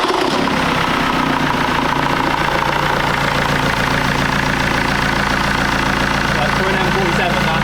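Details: BMW X3 diesel after new crank pulley and bolt, started with the AC compressor belt removed because the AC was loud and not working: steady even idle with light quick clatter, no knocks or belt squeal; sounds healthy and smooth.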